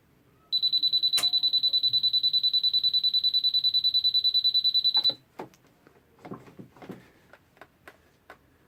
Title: Peugeot E-vivacity won't start